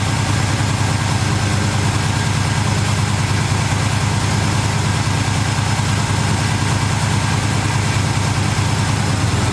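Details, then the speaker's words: V8 with Holley carburetor, after replacing power valve (wrong 9.5 earlier flooded engine): steady, even rumble idling about 1200–1300 rpm instead of usual 900, never drops; owner unsure if power valve is cause; high idle speed. "Seems like the idle is up a little high now. It's normally about 900, now it's about 12 or 1300, so I'm not sure if that's because of the power valve or what's going on there, but we're running"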